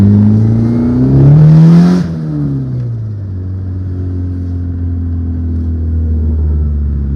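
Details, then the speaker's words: 1997 JDM Honda Accord wagon in for repairs, earlier misfiring with a coolant sensor code. Here the engine revs up cleanly, then drops back to a steady, even idle with no knocks or rattles; sounds healthy, normal running. "running, man. It sounds good."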